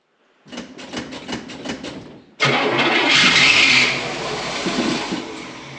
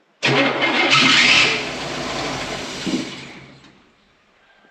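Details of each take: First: Rebuilt Fummins diesel engine with turbos, injection pump timing just set, first start after four months, cold and possibly low on fuel: cranks about six even compression strokes, then catches cleanly and runs steady; a healthy cold start. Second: Rebuilt Cummins-swapped "Fummins" engine on its first start after the rebuild, cold: it catches, runs rough for about 1.5 seconds, then sputters and dies; the tank is nearly empty, so fuel starvation is suspected.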